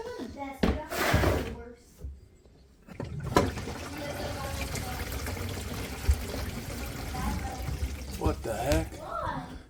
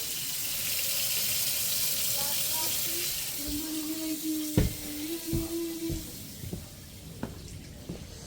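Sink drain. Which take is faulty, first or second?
first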